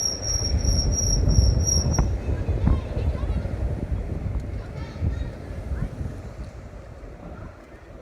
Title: the flex is making a squealing sound